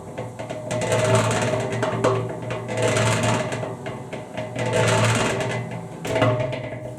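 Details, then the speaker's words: Harbor Freight 3.5 cubic foot cement mixer with an empty drum turning: steady motor hum with a gritty gear growl swelling about every two seconds, because the slotted ring gear on the drum's back is factory-bent, not flat. "all right well the initial problem is the back side of this drum it's got a bunch of slots in it where this drive gear runs in right there this from the factory is bent it's not flat all the way around"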